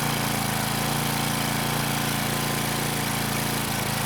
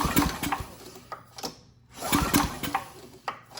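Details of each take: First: Craftsman 2500 W generator, Tecumseh OHV OHH60-71116C engine, carb primed manually because fuel most likely isn't reaching the rusty bowl: starts first pull, steady single-cylinder beat near four per second, then starts to die. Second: Craftsman 2500 W generator (model 580.327120) with Tecumseh OHV OHH60-71116C engine, formerly about 30 psi compression, recoil pulls during a compression test now reading 60 psi: firm even thumps; normal cranking compression.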